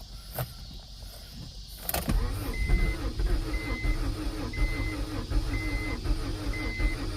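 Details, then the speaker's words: 1992 Acura Integra, sat over 5 years; new distributor and starter fitted. Starter whirs with a slow even pulse, about one beat a second, never catching. Owner suspects flooding or no fuel pump. "Oh, she wants to go so badly. Come on, baby. I probably flooded the hell out of it by now."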